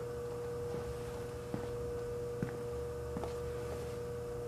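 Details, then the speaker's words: Frigidaire 5400426 antique fridge compressor running after a test refrigerant charge, drawing about 2.3 A and without overload protection: steady hum with a few faint clicks; the evaporator is already getting cold. Normal compressor hum. "The evaporator is already getting cold. I'm so delighted."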